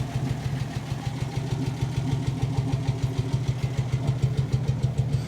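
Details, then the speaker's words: 1968 Dodge D100 slant 6, 4-speed, parked 20 years: even steady low rumble about 200 pulses a minute, no knock or miss, healthy idle. "how's the [Music] restart like it was parked yesterday oh it's even charging look at that"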